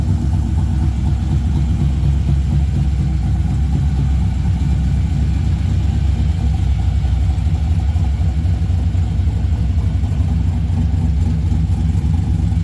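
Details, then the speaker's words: 1963 Chevrolet Nova SS convertible on very first startup after build: deep even burbling idle, steady beat, no knocks, ticks or misses; good fuel and oil pressure, no leaks, still running a bit rich. "That was just our initial turn it on, make sure we're not going to burn it up. Sounds good. Still gassy, but she's learning."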